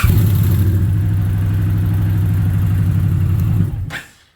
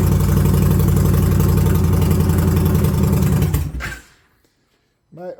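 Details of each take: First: 2021 Indian Challenger, about 50,000 km: starter cranks slowly and laboured at about four turns a second, dragging and stopping without catching, where it used to fire straight up; suspected worn torque limiter gear, to be replaced. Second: 2021 Indian Challenger V-twin after replacing the torque limiting gear to fix slow, hanging starts (13 mm hole also drilled in the cat): it catches and runs with a steady, even lope for several seconds before shutoff. Normal running.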